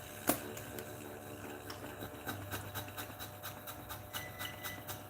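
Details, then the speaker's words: DF64 flat-burr single-dose espresso grinder motor running: soft, even whir with faint regular ticking and no grinding or strain; motor is very quiet and running normally. "wow pretty neat i think right the motor itself is very quiet right but when the beans goes inside of course you can hear the grinding sound right right so the motor itself is actually very quiet"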